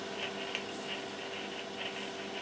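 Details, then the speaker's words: Yaesu FT-7800 noisy on transmit: steady hiss with a faint hum and crackly bursts when the microphone cable is wiggled at the mic end. Intermittent microphone ground wire. "it is there when I move the wire here yeah and that uh makes me think that really something is wrong here at uh this side"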